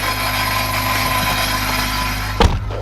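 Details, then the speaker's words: EK Honda Civic on first drive after installing quick-release steering wheel hub: steady low droning hum under even engine note, no knocks; owner says the exhaust resonator sound is getting worse, cause not confirmed. "if you guys can hear that resonator sounds getting worse and not gonna lie i'm kind of nervous right now to drive this thing"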